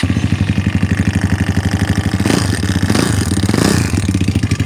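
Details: KAYO K1 single-cylinder enduro bike idling and blipped: hard regular knock on every engine beat, caused by a loose oil pump nut found under the cover.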